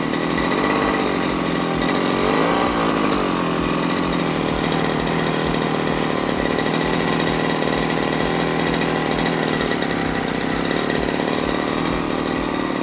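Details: Lawn mower engine after service, previously wouldn't start and made strange noise, likely carbon-fouled spark plug: steady, fast, even buzz with no stumbling, surging or rattle; running cleanly, safe to use.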